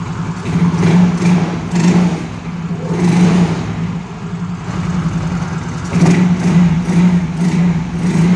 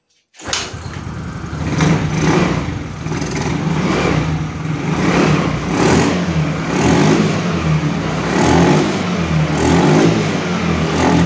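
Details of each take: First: Yamaha Mio Soul GT scooter that starts but dies when throttled, with no MIL code. After the packing was replaced, repeated throttle blips rise and fall cleanly over a steady idle with no stumbling. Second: Yamaha Mio Soul GT scooter that dies when throttled, no MIL code or scanner reading: uneven surging revs, picking up only with petrol added at the air filter intake; test confirms a weak fuel injector.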